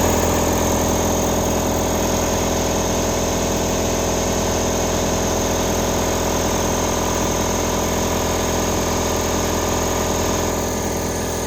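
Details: Newly installed air compressor: steady even motor-and-pump drone with constant hum, no knocks or rattles, cutting out cleanly at 150 psi and holding pressure; normal running.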